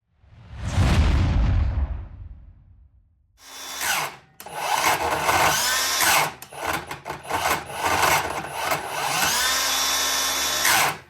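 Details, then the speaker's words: Milwaukee M18 7-1/4" miter saw 2733-20; the motor spins up, cuts out and catches again in uneven bursts, the blade skipping. Owner suspects the trigger switch (replacement part 23-66-0044): intermittent start. "Essentially, whenever I go to start it up, the blade skips a lot, like it's starting and stopping almost."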